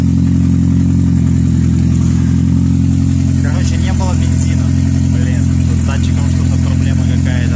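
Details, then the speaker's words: 2006 Toyota Prius that wouldn't start with code P3193, now running after adding fuel: steady deep rumble with a loud open exhaust drone at idle because the catalytic converter was stolen. "глушителя нету ой каталика нету его украли"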